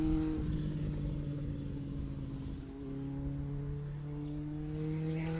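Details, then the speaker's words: Honda CB900 Bol d'Or cafe racer, first test ride: steady low engine drone with smooth pitch changes as revs vary, no popping, midrange much improved, but still running rich because main jets remain oversized. "good news is the bike is running better no pop filters and no tubercular sounds amazing and runs better so mid ranges is way better it's not perfect of course you're here on video and main jet is still too big"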